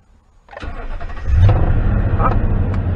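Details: 2009 Toyota Tundra, 110,000 miles, after knock sensor wiring harness repair (rodent-chewed) for VSC, check engine and traction lights and limp mode: brief crank, engine fires and settles into steady even low idle, no knock or misfire. Normal start.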